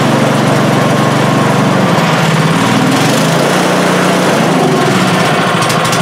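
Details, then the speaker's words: Craftsman snowblower small engine, warming up with the choke being moved: hunting, wandering pitch that never settles, then shuts off; it was also out of fuel; suspected gummed float needle starving the carburetor. "Shuts right off when you try to give it some choke."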